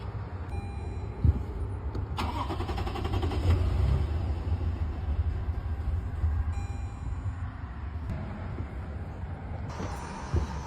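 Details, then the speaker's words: Newer Toyota truck engine, which owner says is slow to start and gets worse each try, with check-engine and reduce-engine-power warnings; it catches, then runs with an uneven, lumpy low rumble and shaking. Rough running, misfiring somewhere. "Turned on. But check your engine. And then it's shaking. Reduce engine power. It's shaking like crap."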